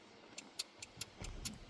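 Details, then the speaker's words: Hyundai i10 with no horn: pressing the horn gives faint, sharp relay clicks about four times a second with no horn tone at all. "hear the clicking noise but I can hear a relay clicking"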